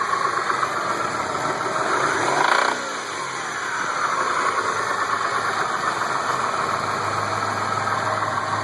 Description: Стук мотора mitsubishi 6a13 с разбитыми вкладышами